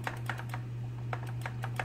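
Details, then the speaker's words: Ikon-x laser tag gun (MP5 airsoft-style body) with screws refitted after a trigger repair: light, crisp clicks spaced unevenly over a faint hum; each is the micro switch lever actuating cleanly, so the trigger works properly. "And one way to know if your trigger is working properly is hearing that little click inside. That's the micro lever pushing down."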